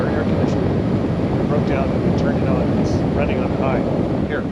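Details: Truck camper (Arctic Fox 990) rooftop air conditioner just switched on, running on high: steady even whoosh and low hum, no knocks or rattles; normal operation.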